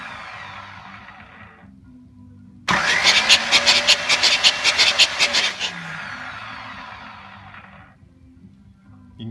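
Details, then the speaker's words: Pontiac 400 V8 in a T37 build, first start after valve lash readjustment, with new rings not yet seated: quick regular cranking pulses, then it catches and a thin whistle rises and holds. Whistling noise on first start; source unclear. "kind of hear it whistling as well it has this uh sound"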